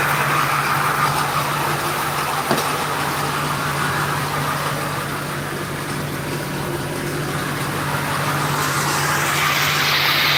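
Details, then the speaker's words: 2001 Ford F250 7.3L diesel at warm idle after sitting a while: a steady low drone with a light repeating rattle, about three per second, on top. A bad A/C compressor pulley is also noted; the rattle's source is unclear. "Yeah, diesel supposed to be noisy. I love this noise. Let's get down here. That's the good noise. But you can hear that rattle rattle rattle. That's the bullet."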